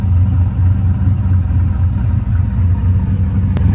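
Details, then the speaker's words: 2000 Chevrolet Silverado, Vortec 5.3 LS V8 with Brian Tooley Stage 3 cam and 92 mm throttle body, during idle relearn after part replacement: deep steady idle with soft rhythmic lope, no surging or hunting, no longer near 1000 rpm; normal cammed idle. "You can even hear the cam better now. I'm not sure if you can hear it, but it's loping better."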